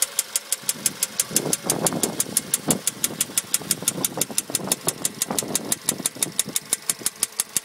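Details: Late-2013 VW Polo sedan, 1.6 CFNA engine, fully warmed up at idle after warranty repair at a dealer, noise appeared within 75 km: sharp, even ticking about five a second over a smooth idle, top-end knock of unknown cause.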